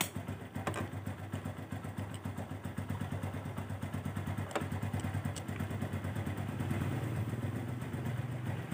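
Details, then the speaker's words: Honda Revo Absolute 110 after a clutch-side clatter repair, rebuilt with oil refilled, heard with exhaust fitted; owner advises checking the clutch rubbers and plates: crisp, even exhaust pulses at steady idle with no clatter, a normal idle. "Suaranya ya enak kan guys. Asli guys, gak ada kretek-kretek lagi."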